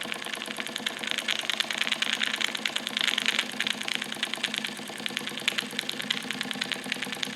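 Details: Wilesco D455 tabletop double-acting stationary steam engine, just started with the throttle full open and warming up, purging condensed water and oil: quick, light, steady chuffs around two a second with a hissy top end. The sound changes as it heats. Normal running.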